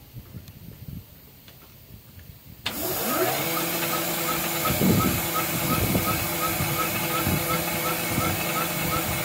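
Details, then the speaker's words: SVPG-2 slotting/drilling machine (Dnepropetrovsk plant), repaired August 2017, running in automatic mode on two tables; motor spins up with rising tone then steady hum with regular cutting knocks about three per second, running normally. "Станок позволяет долбить пазы и сверлить отверстия в автоматическом режиме на двух столах. Показываем в работе."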